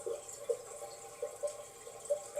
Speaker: So flushing it seems to have fixed the problem. But if you still hear the trickle of water,